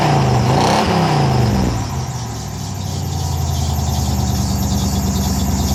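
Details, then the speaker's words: 1998 GMC K3500 with 454 (7.4L) Vortec V8, after a new custom H-pipe and 3-inch dual exhaust: sharp wavering squeal over the V8 as it fires and revs, then a deep rumble; belt squeal, cause suspected. "well uh minus the belt squeak sounds pretty good"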